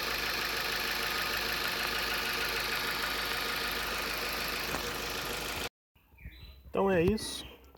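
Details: 2015 Ford New Fiesta, 60,000 km, after adding a product to the engine for its chronic tappet-like noise: steady, even idle with only a faint light ticking left from the top end; noise reduced.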